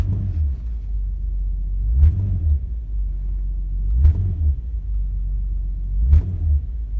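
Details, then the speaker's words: 2002 Nissan Maxima GLE, in drive with brakes on, given a little gas: deep heavy drone with a dull thud about every two seconds from the broken front electric engine mount; lots of resonance. "and there's a lot of resonance in the car now"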